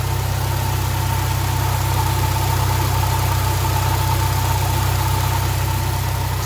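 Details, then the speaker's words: Supercharged Subaru BRZ/Scion FR-S/Toyota GT86 on E10 idling while warming up after O2 sensor replacement: even low idle pulse with faint steady supercharger whine, no knocks or rattles; normal, only slightly audible near front fender with hood closed. "She's super quiet, the supercharger. If I go right here, that's all the noise it makes."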